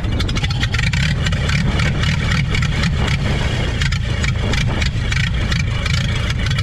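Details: 1930 Ford Model AA Doodle Bug truck, four-cylinder, abandoned in the woods 72 years, started on starting fluid with good spark and compression: steady, deep, even chuff with solid low rumble and no knocks; running healthy again.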